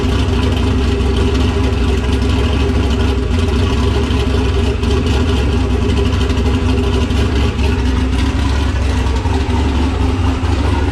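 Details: Nissan Patrol Y60/GQ SWB with a turbo LQ9 6.0 iron-block V8 (Camtech turbo cam, Holley Terminator X), dead cold after sitting two days, exhaust not yet complete. Deep, steady, slightly lumpy idle with no knocks or misses, healthy.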